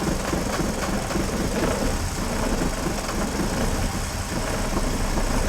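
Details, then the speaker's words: BMW 330i E46, a written-off non-runner that probably had not started in a while, smoking a bit with no MAF sensor fitted (owner suspects this): rough, uneven idle with stumbles and a loping beat, misfiring at idle. "oh Miss fast runs it does run not quite sure how good yet smoking a bit"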